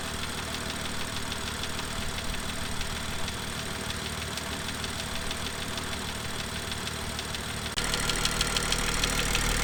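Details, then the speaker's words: BMW M2 N55 engine at idle during cold warm-up (sped-up recording): fast, fairly even light tapping, about three a second, from the exhaust camshaft area. A rare exhaust camshaft fault, fixed under warranty. "so as you just heard um it definitely didn't sound right um the engine was tapping loudly from the exhaust camshaft um area"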